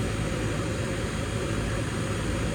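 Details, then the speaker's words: Goodman heat pump condenser (Bristol compressor) after a dead capacitor was replaced, pumping hot air; the fan blade looks low: a steady fan rush over an even, low compressor hum with no clicking or rattling; normal running. "Old Bristol in there, you can see it, or I can, and I can hear it too."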